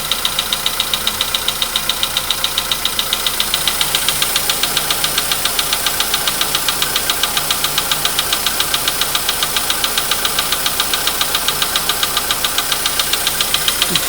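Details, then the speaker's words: VW Polo Sedan at 99,329 km, cold start with the gauge reading 15 degrees: a steady, sharp, anvil-like ticking knock about 2.5 per second over idle. It fades as the engine warms. Source unknown, not located. "Такие вот звуки страшные. Это прям вообще. Чуть-чуть, я не знаю, как наковальня."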